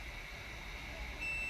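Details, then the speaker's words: Yamaha XJ600 motorcycle no-start diagnosis, multimeter continuity test across unplugged side stand switch connector prongs: quiet hiss then steady high beep from about one second; continuity present, side stand switch good. "So we now know that the side stand switch is perfectly okay. Continuity is there."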